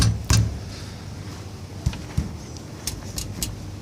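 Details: 2015 Toyota 4Runner with Icon Stage 1 lift, parked and rocked: light metallic clicks and dull knocks as the 3-inch rear springs are not fully compressed and KDSS rear sway bar brackets contact the track bar.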